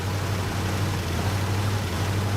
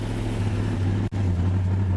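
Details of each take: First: 1967 Buick GS 340 V8 at first start after sitting 15-20 years, new radiator and carburetor: lumpy, stumbling rough idle; owner suspects worn-out spark plugs and wires, ignition system needs redoing. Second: 1967 Buick GS 340, long-sitting, first run after ignition work, with oil pressure and water temperature now present: a deep, steady rumble at an even speed with no knocks or misses. It runs fine, with some smoke clearing, possibly fuel smoke.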